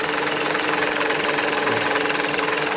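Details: 2007 Toyota Highlander that died from charging failure, voltage around 8 V dropping to 5 V on revs: harsh, gritty, steady growl over the running engine; failing alternator needing replacement.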